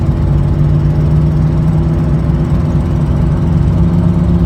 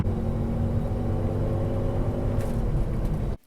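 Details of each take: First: Chevrolet Silverado idling before repair with an exhaust manifold leak. A deep rumble carries a rapid ticking puff on each firing pulse, about three per second. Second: Chevrolet Silverado after a budget repair of the exhaust manifold leak. A smooth, deep, even exhaust rumble is heard with only the rear mufflers audible and no ticking up front. Before the repair it was louder and losing power.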